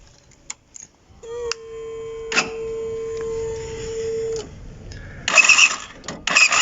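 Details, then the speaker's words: Motorcycle starter motor spins with a steady thin whine and no engine catch; not seized, still working, but its brushes are completely worn out. "al principio del vídeo se escucha como el ruido de un arranque que se encuentra en mal estado en este caso pues él no estaba frenado seguía trabajando pero ya estaba completamente sin escobillas"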